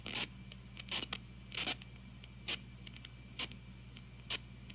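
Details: TG-TEK tablet with headphones plugged in while loading web pages: constant faint hiss broken by sharp irregular crackling bursts about every second. Occurs only with headphones during downloads or multitasking; music plays clean; cause unconfirmed.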